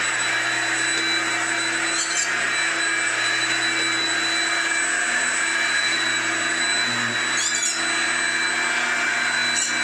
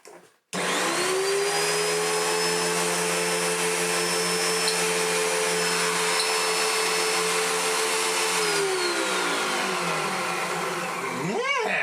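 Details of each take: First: Hoover Junior U1650 (last Turbopower-generation) upright vacuum, came in with no airflow, after repair of a stripped, spun-off fan: steady, even motor whine, constant pitch, no rubbing, rattling or flutter; fan spinning true, normal running. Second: Hoover Junior (last Turbopower 1 design) upright vacuum after its spun-off fan was repaired: motor spins up to smooth high whine, holds steady, winds down.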